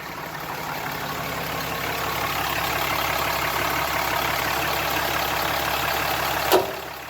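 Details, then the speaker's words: Lifted 2017 Ram 2500 with the engine idling while the steering wheel is turned: a steady hum, then one sharp pop. The track bar is slightly moving at its bracket bolt, which is where the popping noise comes from. "so if you guys look in here on the track bar this is actually slightly moving so that's where the noise is coming"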